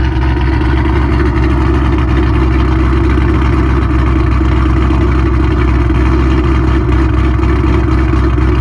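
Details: Mustang 3-valve V8 just after cam install on both sides: deep, steady rumble with a lumpy cam pulse at a fast, even idle a little higher than it should be.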